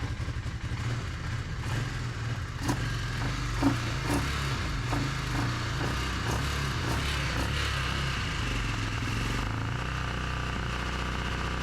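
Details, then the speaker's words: Revived Polaris Ranger 500 UTV idling steadily with an even low beat and no ticking or knocking despite a crank position sensor code; engine idling normally. "Okay, I'm not complaining. The idling good sounds good."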